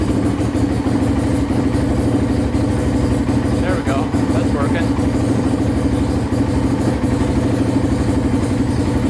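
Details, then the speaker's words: Polaris Outlaw 525 quad, started on jumpers, which the seller said needed a carburetor cleaning: a steady, even single-cylinder idle with a smooth, unbroken beat and no knocks or misses; normal idle. "sounds like it runs pretty good sounds really good doesn't sound like anything's wrong with it at all"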